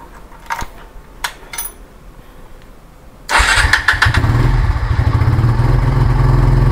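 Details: Kawasaki W175 motorcycle, bought June 2019, 17,192 km, just fitted with a new GS battery after nearly 4 years on the old one: faint clicks, then a quick crank. The engine catches at once into a steady, even idle.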